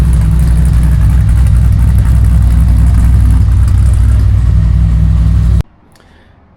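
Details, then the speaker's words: Dodge Dakota with a 426 Hemi and 3.0L Whipple supercharger, cold idle: a loud, heavy rumble pulsing about four times a second, steady and slightly busy. Owner says it settles into more of a chop as it warms up; healthy. "and here's what this one sounds like if you guys don't remember as it warms up it'll start settling into more of a chop but"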